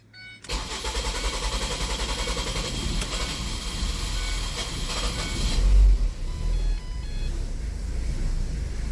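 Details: 2012 Ford Transit with P0400 (EGR code): starter churns a few seconds before the engine catches and settles to a low steady idle; extended crank, cause not pinned down.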